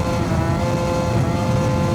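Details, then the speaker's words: Yamaha BWS 70 scooter with Stage6 kit, cold and choked by hand, at full throttle on a test ride: steady high buzzing drone that won't pull down; over-revving, owner suspects rollers too light (about 5.5) and wants to check the plug. "Oh my gosh. Wow, it feels so good though. But it's just revving high."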